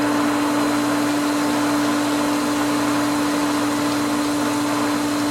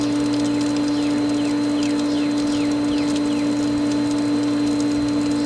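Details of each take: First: Pool pump at spring opening, winterized skimmer line just cracked open: steady motor hum with hissy rushing flow as the pump pulls air through the line, risking loss of prime; valve opened gradually. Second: Pool pump after the skimmers were opened following winterization, air cleared: smooth, steady hum at constant pitch with no gurgle or air rattle; the pump is primed and running happily with more water getting through.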